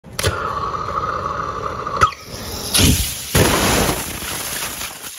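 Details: Rocket engine test failure: a steady roaring whistle ends in a sharp pop, then loud uneven gushes of rushing gas as the oxygen hose blows off.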